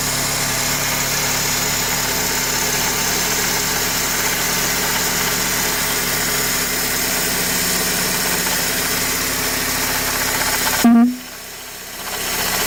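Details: 2003 Honda Accord at idle: steady, fast, dry rattle in the engine bay. Belt tensioner was recently replaced and the power steering and alternator are ruled out; owner suspects the water pump shaft bearing. Cause unconfirmed.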